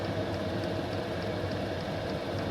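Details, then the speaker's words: Chinese diesel heater newly installed in UK van conversion, starting up: steady light ticking about three per second over fan airflow, fuel pump clicking that stops once running; normal start-up. "Does seem a little bit noisy, but to be fair, once it's up and going, that clicking stops. You can just hear the air coming out, and it will be boxed in under there anyway."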